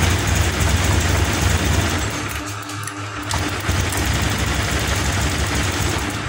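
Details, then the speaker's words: Scooter runs unevenly, dipping and stumbling mid-clip before picking up, despite a new spark plug and a new non-original injector; fuel pump normal. Fuel injector fault. "Oke, busi sudah kita ganti, kok busi sudah kita ganti baru, dan injektor ini yang baru juga, namun di sini masih berbet."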